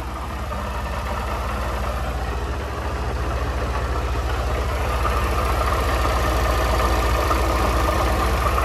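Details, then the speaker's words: Honda CG 160 Fan motorcycle whose strange engine noise is worsening: a steady idle with a fast, regular ticking clatter that changes when the clutch lever is pulled; owner suspects the clutch and is taking it to Honda. "Oi galerinha vou apertar embreagem agora mano você vê que o barulho muda bebê vai apertar aqui ó"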